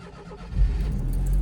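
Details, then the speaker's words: Daihatsu Atrai kei van with turbo timer, cold start on a snowy day: starter catches quickly and the engine settles into a low, steady idle with no belt squeal; sounds healthy. "Let's start it up. No belt squeal."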